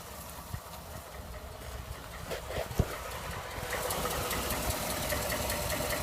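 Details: 2011-2012 Ford F-150 5.0 V8 at idle: light quick ticking over the engine hum, about two ticks a second; Ford calls the knock/tick normal and not fixable.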